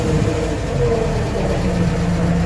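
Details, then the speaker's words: Warm Atomic 4 inboard boat engine idling, pumping cooling water out well, at 40–45 psi oil pressure; a low, steady, even idle with no misses or knocks. It sounds much better than before. "we're pumping water out pretty good we've got a warm yep even sounds good hey I'm even charging less oil pressure"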